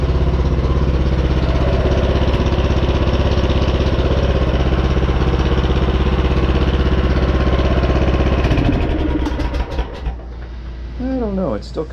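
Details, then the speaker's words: Craftsman R-1000 rear-engine 30-inch riding mower, single-cylinder about 10 hp, just started with a little choke after carburetor work and valve cover cinched down: steady idle with even knock each firing beat, then shuts down; cause unconfirmed. "let's see where she does need a little choke not terrible have that knocking sound"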